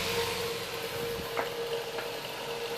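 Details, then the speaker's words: Mid-1950s Bersted "Zero" 1250R electric fan after restoration, running under load: steady airy rush and faint even motor hum, no rattle or grind; it runs smoothly with no more noise. "And there's no more noise, really."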